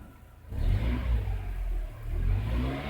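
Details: 1999 Mercedes A160 (W168) petrol with hard-start complaint, dashboard warnings and cylinder 1–2 misfire codes, coolant about 58–60 °C, oil 33 °C, warming up: revs up and drops back twice, smooth with no stumble or miss; seems to run fine.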